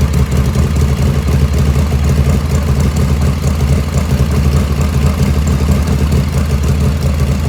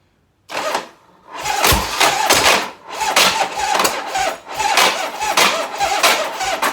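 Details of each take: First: 1985 Harley FXRS Evo just restarted after reassembly: steady, even low V-twin lope at idle, no misses or stumbles; normal idle. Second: Cold 1985 Harley FXRS Evo, not run for three or four days, during carb jetting: soft, burbling, uneven exhaust pulses instead of a crisp note, with black smoke and eye-burning fumes; the carburettor is running too rich.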